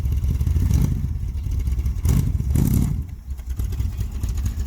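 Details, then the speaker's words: Vintage street machine V8: a deep, lumpy rumble that sags between throttle blips and barely holds idle; the idle speed needs raising a touch, and the ignition timing is still to be checked. "I'm good. Needs to be idle up just a touch, a tickle."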